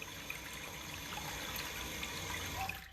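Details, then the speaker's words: Urinal that had been flushing continually, heard after the bad diaphragm was replaced: a strong, even rush of water for nearly three seconds, then a crisp, clean shut-off. The valve now closes properly and the flush is normal. "good flow you want it to come up a little bit so it'll suck all that year and down"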